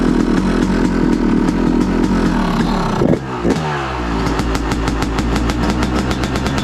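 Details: 2023 Yamaha YZ250 two-stroke with new Boyesen Rad Valve, on stand at freezing temperature: cold idle on choke, crisp regular popping, one brief stumble then steady firing, not revved; healthy, sounds crisper, jetting untouched.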